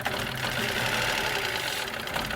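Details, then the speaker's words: Renault Logan 2019/2020 with 1.0 12-valve three-cylinder engine, also hard to start: busy metallic ticking knock over the idle from up top; camshaft end play knock from worn camshaft caps. "e esse carro faz um barulho bem diferente quer ver"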